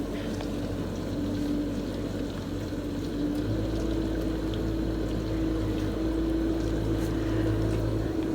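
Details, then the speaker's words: Samsung DW80R5060US dishwasher running: a steady low hum with an even mid tone and water rushing as the spray arms spin, no knocks or grinding. The wash pump is running normally. "course the pump is making a little noisy after all when it's running you can hear how quiet the spray was including you can hear the water spraying through including spray arms or spraying which is theirs they're spinning to make sure every dishes are absolutely clean absolutely clean"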